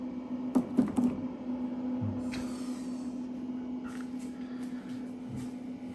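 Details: Hybrid solar inverter charging a self-built 48 V LiFePO4 battery (16 cells of 306 Ah): steady low hum with soft even rustle, no rattle or scrape; cooling fans running normally.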